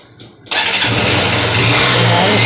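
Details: Honda CB Shine brought in after an earlier failed repair, started and running with a loud, busy top-end clatter.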